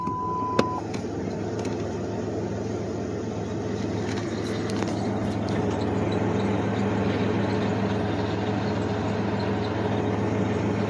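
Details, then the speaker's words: Idling engine picks up a steady whirring whine when the clutch pedal is pressed: a failing aftermarket throwout bearing installed only about 5,000 miles, five months, earlier. "sup guys so today i want to show you guys what a failing throw out bearing sounds like a throughout bearing is the throw up bearings when they go out you'll hear noise when your clutch is pushed in"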